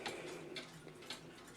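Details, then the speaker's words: 1890s Hamburg American Clock Company porcelain time-only clock that would not stay running, after fixing an over-tight pin binding the minute arbor: crisp, even ticks about twice a second, louder and stronger; healthy pendulum running. "going to let it run for a bit and make sure it's going to stay running, but it's got a much louder tick. I used to have to really lean down to try to hear it. It's ticking louder, running stronger."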